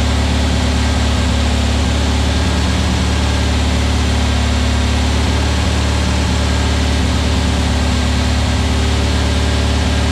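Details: New VW Beetle 1679cc single-port flat-four, Scat C25 cam, dual Empi ICT carbs, first fire-up during 20-minute cam break-in: even steady idle, smooth low pulse, no knocks, misses, ticks or rattles; timing spot on, no leaks, carbs need tuning; normal idle.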